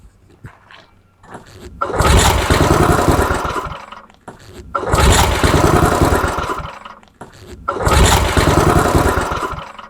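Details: MTD Snowflight 2-stage snowblower with Tecumseh 8hp Snow-King engine on old fuel, carb sprayed with brake cleaner: three pull-start attempts each fire roughly and die within two seconds; engine starts but won't keep running.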